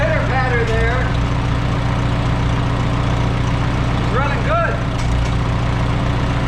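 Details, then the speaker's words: Antique Farmall H tractor with a newly rebuilt carburetor after a fuel-system cleaning: a steady, even low chug with no misses, knocks or surging. Healthy idle and the carb is not leaking. "we got her running she sounds good got a nice carb on there that's not leaking"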